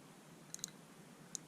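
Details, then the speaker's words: Known-good race car fuel injector bench-tested off the engine, triggered at its terminal and held close to the camera: quiet, crisp ticks with a clean snap as it opens and shuts; the injector works. "Hear that? Opening and shutting. You can actually hear the injector opening and shutting. I hope you guys can hear that. So I know that one works."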